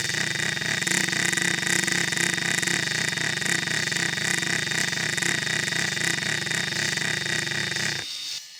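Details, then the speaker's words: RC scale 'CV' ball-and-pin joint at full steering angle: a rapid buzz of about four pulses per second. It shows the same non-uniform rotation as the U-joint, so it is not a true constant-velocity joint, just a disguised universal joint. "so there you can see it makes the same non-uniform buzzing noise that the ujoint did"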